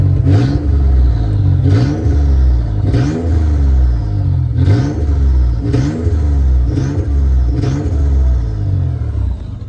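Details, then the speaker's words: Nissan Z31 with VG30E/VG30ET engine after replacing the upper plenum gasket and cleaning the plenum: repeated quick throttle blips, revs climbing crisply and falling back cleanly with no stumble or hesitation; normal, healthy throttle response. "It's pretty responsive than what it used to be."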